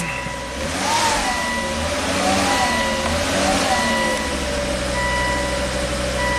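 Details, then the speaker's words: Volvo S60 Turbo after new cylinder 1 exhaust valves and repositioned gaskets: fires and settles into steady, even idle with no exhaust puffing or ticking as the cylinder cleans out; normal smooth idle. "that cylinder hasn't fired in a while so any stuff is just cleaning out all right running super smooth"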